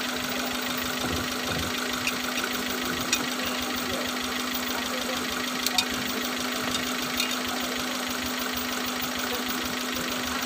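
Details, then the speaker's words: Suzuki Futura fuel-injected, spark plugs and coil already replaced: steady idle with an uneven, lumpy beat and stray knocks; one cylinder missing, rough idle; injector number 2 found not working, to be cleaned. "ya kita coba hidupkan dulu mobilnya anting deh ya hai night mesin nyanting"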